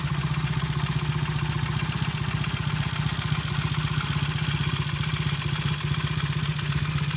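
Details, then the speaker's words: 1968 Triumph T100 twin, reasonably cold start after sitting three or four days, tickled: even regular exhaust thump at steady idle, about four pulses a second, no knocks or misses; normal idle. "this is a reasonably cold cold start the bike's been sitting for three or four days bringing up the electric leg good tickle not bad not bad at all idle okay"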